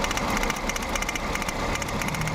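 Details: Volkswagen Polo/Vento, code P0301 cylinder 1 misfire, with engine and EPC lights coming on at 60–70 km/h. At idle it stumbles with an uneven, skipping beat as one cylinder drops out. Cylinder 1 plug cord shows current, but the injector reportedly gets none.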